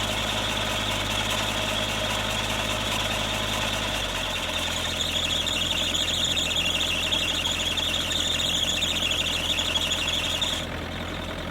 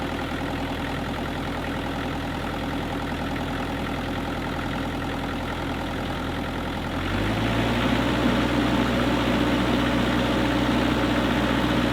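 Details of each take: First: Kubota KX121-3 excavator diesel idling with overheating issue: steady high-pitched squeal over the idle; the owner suspects the belt driving the water pump and alternator, and a worn slipping belt is being replaced. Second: Kubota KX121-3 excavator diesel at steady idle after replacing the fan/water pump and A/C belts; the ongoing squeal from the rear is gone and it runs quietly with no belt chirp.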